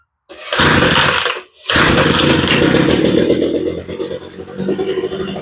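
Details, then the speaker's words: Homelite leaf blower with new fuel lines and a redone carburetor that runs, dies and stumbles: it starts on choke after a brief stall, then runs burbly, sagging and surging. It sounds slightly rich; the cause is suspected, not confirmed. "well she does start pretty good sounds like it's running a little rich let's blow it out a"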